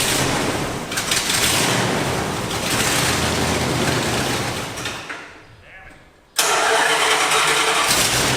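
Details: 1986 Dodge Ramcharger: the starter cranks about five seconds without catching, then the engine fires once the key is released; owner says the higher-voltage ignition circuit during cranking isn't working. No start while cranking.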